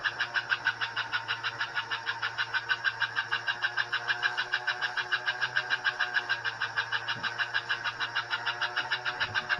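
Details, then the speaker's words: Pre-1957 all-metal American Flyer S scale locomotive, about 70 years old, drive wheels lifted off the rail on cardboard, after cleaning and reassembly: quick steady chuffing about three beats a second over faint motor hum; headlight working, running properly. "headlights working 70 years old and it still runs and chops a my so there we have it"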